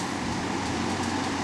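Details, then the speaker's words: Vintage Dominion 20-inch box fan model 2079, 1.7 A 125 W Fasco MO-722 motor, dirty and needing oil, as received; on low a steady even rush of air, no knocks, rattles or wobble, moves a lot of air: normal running on low. "start on high work our way to low now for low moves a lot of air"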